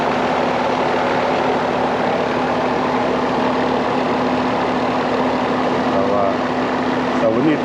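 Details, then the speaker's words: Carrier AC condenser after compressor replacement, first start while charging refrigerant through suction line; steady even hum, no knocking, rattling or surging; normal compressor running. "Sound good."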